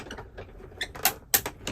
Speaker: don't have to go all the way just over that die you hear that crunching clicking that's all okay but see I had my D kind of lined up straight and you could hear that clicking that is a speed bump